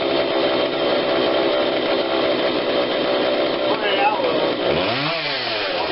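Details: Husqvarna 142 40cc chainsaw, warmed up, after carb tweak with adjuster tool (low adjustment seemingly not needed): steady clean high buzz without surging or stumbling; normal running, much better than before.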